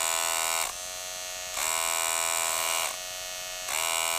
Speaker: and this is what it should sound like this is what it sounds like